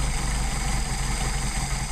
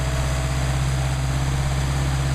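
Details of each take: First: Mercedes 190SL with rebuilt Solex carbs, throttle linkage disconnected so each carb is set individually; turning the idle mixture screw in and out gives a low, uneven, lumpy idle that stumbles and slows. Rough idle from incorrect idle mixture setting. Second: Rebuilt Solex carburetors for a Mercedes 190SL warming up before adjustment, about 99° ambient: steady, even low idle with no misses, hunting or knocks. Carbs running cleanly.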